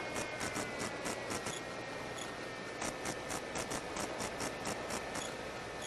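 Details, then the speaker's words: Skywalker 1900 RC plane test flight with rebuilt 360-degree pan and tilt camera unit: rapid hissy buzzing bursts, about four a second, over steady motor drone on camera audio; electrical interference noise, owner suspects the new GWS 360 pan servo. "That noise certainly gets on your nerves. Gets on mine. And I promise I will remove it."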